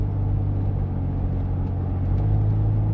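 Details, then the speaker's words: 2002 Nissan Xterra V6 driven on the road in hard rain after the stalling problem was fixed: a low, steady rumble with no knocks or misses. It runs well but has little power; normal running. "Yeah, it's running good though."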